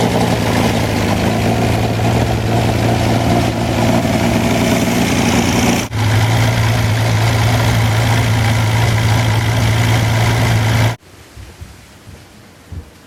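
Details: Wolseley 14/56 14/60 six-cylinder engine on an engine stand after years in storage, fresh oil and filter: smooth, even low idle with a steady beat and no bottom-end knock or tapping. Good oil pressure, slow warm-up from an oversized Ford 351 cooling system. Normal warm idle.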